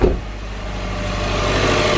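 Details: Subaru turbo boxer idling just after cold start following Grimmspeed 05-09 Legacy GT/Outback XT top-mount intercooler install: smooth steady hum, no hiss, ticking or surging; no boost leaks, air-fuel and idle fuel trims normal.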